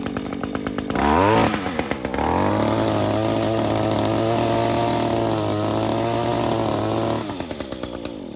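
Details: Echo SRM 225 weed eater, cold start, before maintenance: small two-stroke buzzes up, settles to a steady idle, then dies back to sputtering; uneven running, cause unclear.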